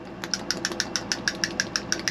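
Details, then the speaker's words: 1988 Bluebird Wanderlodge FC35 fresh-water repair: the removed balancing spool (scald valve), once corroded and locked up tight, now rattles with quick, even metallic clicks when shaken, showing the spool slides freely. "You shake it. There's a slide in there, a spool that moves around."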